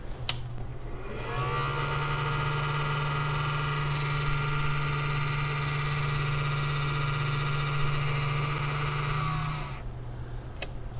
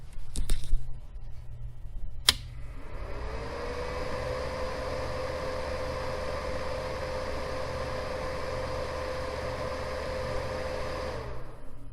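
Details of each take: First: 800 W power inverter cooling fan at about 30 degrees: steady low hum with a rough whirring edge. The owner believes the noise is temperature related because it went away once warmed indoors. A tired bearing is suspected. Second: Cooling fan of an 800 W power inverter after oiling fix, mic moved closer: small fan spins up to a smooth, steady hum with no rattle or scraping, runs evenly until switched off; quiet, healthy bearing.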